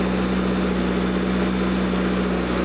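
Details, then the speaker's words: Fuel-injected 2.4 L CIH Opel GT petrol engine idling steady with a smooth low hum while hoses, brake booster, idle air control and PCV hoses and individual injectors are sprayed with contact cleaner; no vacuum leak found there. "nothing there nothing there nothing there nothing there I did spray the individual injectors no problem with that one no problem with that one"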